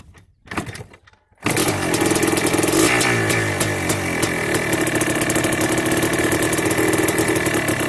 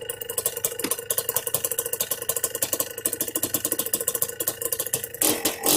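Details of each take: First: Yamaha Blaster 200cc two-stroke ATV with FMF pipe, carb retuned with needle, clip and pilot air screw: fires after a short pause, then a raspy idle burbles slow and lazy; idle set too low, to be raised. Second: Yamaha Blaster 200cc two-stroke with FMF pipe, after needle, clip, pilot air screw and idle adjustment: light steady two-stroke idle, popping few beats a second, no hunting; healthy idle.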